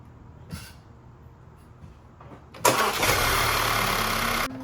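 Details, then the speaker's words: 2013 Audi A4 B8 started up after new spark plugs and reinstalled ignition coils. Brief crank, fires promptly and flares up, then settles toward an even idle with no misfire. Normal start and idle. "And the last thing you do is just start it up, make sure everything looks good."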